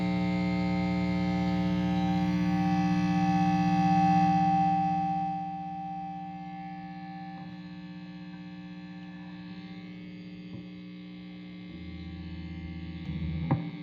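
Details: PRS HDRX 20W amplifier: constant low buzz with a thin steady tone above it that never changes and continues under the playing; mains hum.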